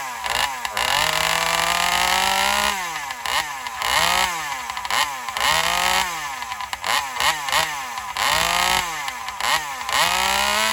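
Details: Alcohol-fuelled chainsaw in a test cut: it screams at high revs, then the pitch sags and recovers repeatedly, not holding speed under load; owner suspects lean running, fuel starvation on the high-speed circuit.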